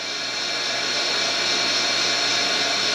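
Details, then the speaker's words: Deep well jet pump after replacement, valves closed to fill the tank, regulator refitted: steady hissing rush of water with even motor hum, no knock or rattle, building pressure and sounding better. "put the regulator back almost there sounds better when it gets a higher pressure that's for sure"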